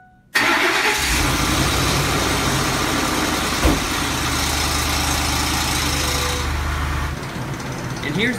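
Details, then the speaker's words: Ford 5.4L four-valve DOHC Triton V8 at startup after sitting 8–10 hours: the engine catches and settles into a loose metallic rattle, with a roller-coaster-like chain dragging noise. Timing chain slap; broken guides suspected. "now this 5.4 L four valve dual overhead cam engine has quite a rattle at startup and then also has a chain dragging noise like a like a roller coaster chain"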